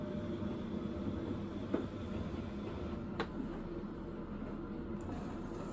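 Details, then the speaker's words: Bosch WFP3300 washer after new bearings and door seal, citric acid test wash with rags: faint soft hum of drum turning, odd light click, no rumble or grinding; very quiet, normal wash tumble. "You can hear it, but it's very, very quiet."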